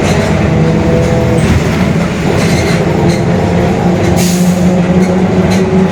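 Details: Mercedes-Benz OF-1721 Bluetec 5 extended urban bus, Mascarello GranVia Midi 2014 body, built 2021, cruising, onboard: a loud drone with a rough low growl and a faint steady tone. Rear differential growling is suspected, not confirmed.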